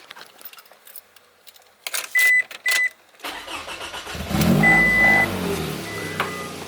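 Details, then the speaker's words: Car with a whining alternator, restarted after the positive battery terminal was pulled as a test: chimes, then a laboured, uneven crank that struggles to catch, with smoke visible; battery had died, alternator judged bad. "kind of struggling to turn on now"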